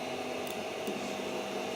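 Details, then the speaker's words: Creality CR-10S 3D printer homing after fitting steel-and-rubber NEMA 17 stepper motor vibration dampers: a steady whirring hum with faint tonal stepper whine. Some sound remains but the zapping noise is much reduced, normal homing. "yeah you still hear that but the Zap movement doesn't happen that much boom that's really awesome"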